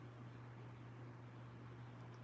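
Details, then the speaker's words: BougeRV 53-quart mobile fridge/freezer on AC power from a Go Power unit: low steady hum with faint hiss as the compressor comes on, no knocking; normal running, about 35-40 watts at high. "It's working, y'all. But I want to hear the compressor come on. Hear it? Can y'all hear the compressor?"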